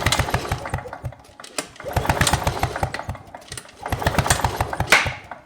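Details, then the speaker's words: Victa two-stroke Powertorque lawn mower engine with the kill switch wire removed: repeated recoil pulls give quick compression thumps but it never fires; still no spark, so the ignition coil is faulty. "and as you can see there's clearly still no spark so that means we must have a problem with the coil in this lawn mow"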